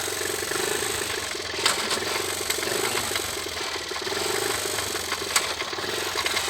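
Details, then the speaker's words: 1980 Honda C70 single-cylinder on a stand, in gear at a high idle: busy metallic rattle with occasional sharp clacks from the crankcase, first heard while riding; owner suspects a loose bolt banging around inside, not confirmed. "there it goes. So, sounds like something's obviously loose down there."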